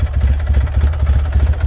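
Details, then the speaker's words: 2008 Polaris 800 HO four-wheeler at idle: low, lumpy, hunting idle running really rich because the throttle position sensor is misadjusted; its screw is stripped, so it cannot be reset yet. "that's why it's idling so funny it's really really rich i'd rather be rich than lean though"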